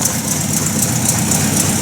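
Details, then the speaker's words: 1950 Buick Roadmaster straight-eight just converted from positive to negative ground, generator polarized; steady, even idle with a low smooth thrum, not running backwards, no knocks or misses; running normally. "uh not running backwards not doing anything strange"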